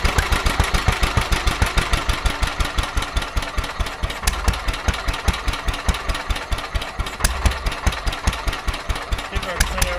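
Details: Petter A11 (A1 series 2) single-cylinder vintage stationary engine, owned 12-13 years, sat damp in a container for four years; slow thumping near two and a half beats a second, uneven strength, hunting; rough running, owner suspects fuel starvation from dirt in the carburettor.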